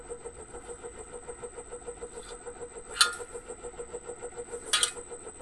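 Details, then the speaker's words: Reeder 2x72 belt grinder, 2 hp three-phase Hallmark AC motor on KBAC-27D VFD, belt off, 40% speed: hum with a thin whine and a fast, even throbbing pulse; owner suspects cooling fan imbalance or the VFD, unconfirmed. "it almost sounds to me like it's coming from inside the motor I can almost feel it"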